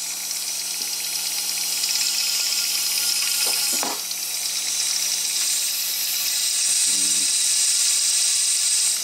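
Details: A 6.0 Powerstroke diesel with a no-start has its high-pressure oil system pressure-tested with the dummy plug and standpipe installed. A steady hiss with a wet gurgle over a low even hum, no rhythm, is air escaping; it was later confirmed to be leaking injector top O-rings under the oil rail.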